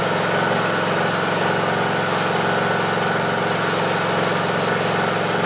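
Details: Briggs & Stratton 18.5 hp Intek mower after cleaning the carburetor pilot jet to cure surging: steady, even idle with no hunting or surging, speed holding level; normal idle.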